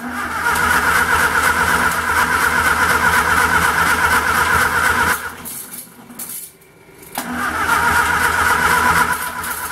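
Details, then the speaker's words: Homemade 200 A DC portable welder (WWII aircraft generator driven by a 1946 Austin Dorset four-cylinder pushrod engine), choke on, with gasoline poured into the carburettor: steady cranking, a short pause, then more cranking with no catch; owner suspects no spark. "okay looks like we don't have any spark so uh I think I'm going to go ahead and um build my wheels anyways"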